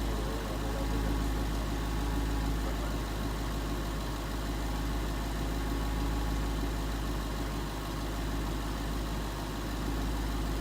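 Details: 2011 Ford Mustang GT 5.0 Coyote V8 with Roush exhaust at first start in an echoey garage, after all eight rod bearings (King CR868SI) and TTY rod bolts were replaced and 5W-30 added: even, steady idle, deep rumble; earlier tick and knock gone.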